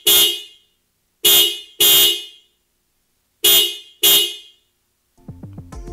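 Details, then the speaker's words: 2021 Toyota RAV4 stock horn sounded before replacement with PIAA Superior Bass snail horns: five short, sharp honks, bright clear tone, no rasp or weakness; normal horn. "okay so this is how the stop horn sounds like"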